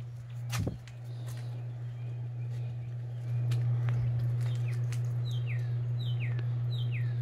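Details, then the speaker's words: 30in Home Trends Rainbow Hugger ceiling fan, lightweight, on a porch with a flimsy creaking mounting bracket, running on high speed: smooth constant low hum, birds outside; fan running evenly. "anyway now high speed oh no one cracking out some air now"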